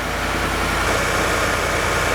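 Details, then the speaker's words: Truck after DIY shop work before a trip, started with key because remote start failed; smooth unbroken idle, steady low rumble, no skips or misses; running evenly. "nice and smooth no Miss how about the remote off the remote off works well everything sounds right to me I don't hear a miss engine is running super smoothly"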